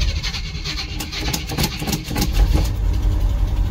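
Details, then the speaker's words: 1982 Chevy K30 Squarebody V8, cold start after storage, with good oil pressure and a choke that may not work. It catches and settles into a lumpy but steady idle with a deep exhaust rumble and no knocking. "There she is. She's happy. Got all the oil pressure."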